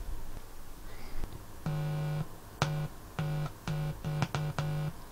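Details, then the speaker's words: DIY DX amplifier still under construction, powered from a ±24 V (48 V total) supply: touching a bare input wire gives short bursts of low raspy buzz from the speaker, a typical pickup hum. "doesn't matter which one do get a buzz through the speaker which i'm really surprised that it's actually able to do that at this stage"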